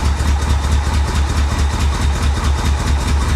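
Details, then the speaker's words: 1985 Chevrolet Corvette, flood-abandoned in a swamp and not run in over 10 years, first run: lumpy, uneven idle with heavy pulsing beat about twice a second and scattered pops; owner suspects timing, fuel or misrouted plug wires, unconfirmed. "I don't know could be fuel could be timing could be someone got the plug wires on wrong there she goes come on I don't know she sounds like she tries so hard to run better you can hear it popping"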